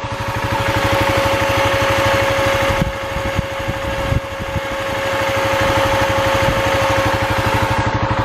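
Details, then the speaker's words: Skoolie school bus, plastic-framed cooling fan pressed onto the radiator, engine running: a thin, constant whirring tone over the steady engine putter; the fan is spinning and working normally. "It really sounds like a fan. So I'm excited."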